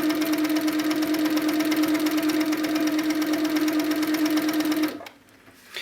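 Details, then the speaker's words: Handi Quilter Sweet Sixteen with pink top thread and black bobbin thread, top thread tension deliberately loosened. Fast, even stitching patter at nearly three stitches a second for five seconds. Slight pink shows on the back, so the top tension is too loose. "so now you'll be able to see that there's just ever so slightly some pink thread coming towards the back of my piece so I know that I've loosened it off too much and I need to tighten it up"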